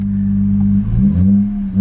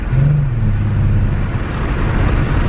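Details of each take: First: Mercedes-Benz C300 W204 after new spark plugs for a rough idle and blinking check engine light: a steady, even hum with a couple of smooth throttle blips and no stumble or miss; the revs are consistent and the idle is now normal. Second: Mercedes-Benz C300 W204 being driven with a flashing check engine light: an uneven, lumpy low drone, and the engine is reluctant to rev, shifts early and feels slow. Misfire under load.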